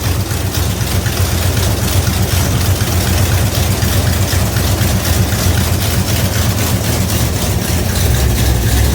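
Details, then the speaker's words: 1971 Dodge Demon, rebuilt 1974 318 V8 with 273 heads, Edelbrock intake, Holley 750. Deep steady idle with fast light ticking at about four a second; header gaskets leaking, cheap kit gaskets to be replaced. "I do have headers are leaking. I used those cheap gaskets that came in the kit. I'll be replacing those with some better ones that'll take care of that."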